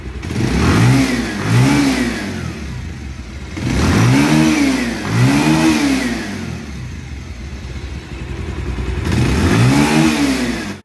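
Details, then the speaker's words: Bike after valve replacement and grinding, head reset, timing set accurately, self-starter balls replaced (had missed with knocking): crisp rev blips returning to smooth idle, same as original; rider says performance went from 70 to 100. "বাইকটা আমাদের ready, বাইকের sound শুনুন, একদম same original"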